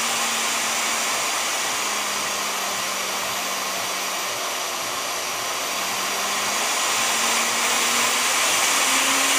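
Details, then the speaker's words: Vevor model 5120 plunge router, 3¼ hp motor, soft startup: smooth high airy whine stepping down and climbing back up as the speed setting changes; normal, healthy motor at varying speeds. "different speeds, you can hear the difference. This is a 3¼ horse motor. This is a pretty powerful router."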